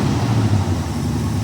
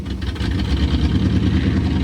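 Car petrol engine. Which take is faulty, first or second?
first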